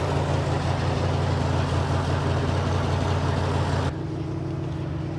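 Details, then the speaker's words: 1957 Dodge Texan, dormant since July 2023, first start: low, uneven, lumpy idle with loose rumble, no steady beat; probable huge vacuum leak because carburetor body is loose on its base, only one jet squirting fuel. "you probably couldn't get very far honestly the carburetor is only really squirting out of one jet has a probably a huge vacuum leak because the body is loose on the base of the carburetor"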